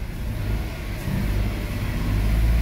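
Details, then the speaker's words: Mitsubishi Mirage with misfire, code P0301 cylinder 1 misfire: uneven, lumpy low rumble and weak power; misfire persists after clearing the check engine light; suspected ignition coil or injector, not yet diagnosed. "Ayan ang number one ah ang lumabas dito mga guys t301 number one cylinder mpire yan kung Subukan natin i-clear mga guys try natin wala yung check engine niya pero palyado pa"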